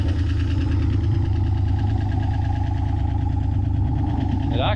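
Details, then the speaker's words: Sun-baked 1987 Ford Mustang GT convertible: low, slightly uneven throbbing idle at about three beats a second, running only briefly on sprayed brake cleaner because the fuel pump isn't pumping (can't be heard running); fuel lines suspected bad. "the pump isn't pumping which is good I can't hear it so it's not like it's trying to pump bad fuel in anything"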